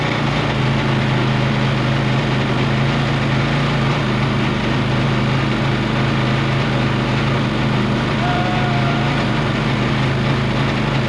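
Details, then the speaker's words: Kawasaki 750 jet-ski engine in a mini jet boat, run on the hose with the pump reinstalled: drones heavy, revs slowly, with much extra rough clatter compared with running without the pump; labored revving with excess noise under load. "this engine is running quite badly here. It's really revving slowly, and it's really making a lot of noise as well."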